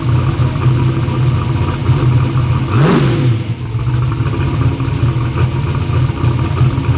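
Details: "Black Sheep" V8 race car holds a strong even idle, then a sharp rev blip settles cleanly with no misfire; runs good, front and rear seal oil leaks still pending.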